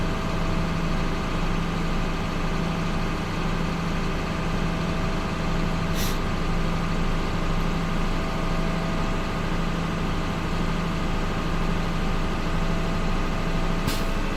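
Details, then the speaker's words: CDL Class A truck, automatic transmission, in-cab inspection, engine raised to build air pressure to 120–130 psi: steady idle with compressor pumping up, then a sharp air hiss as the governor cuts out; system charged, compressor working. "I hear the governor cut off, that means my system fully charged and the compressor is working."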